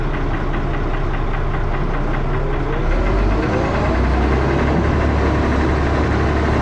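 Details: Diesel bus engine (First Manchester Dennis Arrow, fleet 31923, P423PVW) at idle, rapid rough knock about four per second over a low thrashing rumble; engine knocking, cause unknown.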